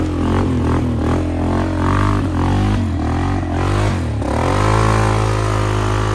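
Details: Flood-repaired 2001 Polaris Sportsman 500 HO test ride in low range with rigged, zip-tied aftermarket exhaust: loud raspy single-cylinder thump, revs rising and settling evenly under load; healthy, very loud exhaust.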